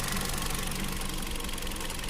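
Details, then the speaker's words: Hyundai Accent with rough, loping idle: cylinder 3 dead, multimeter shows no frequency on its coil trigger wire versus about 5 Hz on cylinder 4; the ECU coil driver was damaged by a shorted wiring harness. "Así que yo estoy colocando el multímetro en el cable que trae la activación para el cilindro número 3 y cómo se puede observar no tengo ninguna frecuencia"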